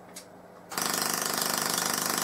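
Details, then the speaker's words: Full-bridge PLL solid state Tesla coil, low-power test with no interrupter fitted: harsh rasping buzz pulsing in fast bursts like an interrupted coil; owner suspects the CD4046 is switching on and off. "it's acting more like an interrupted coil even though I've got absolutely no interruptor on this at all"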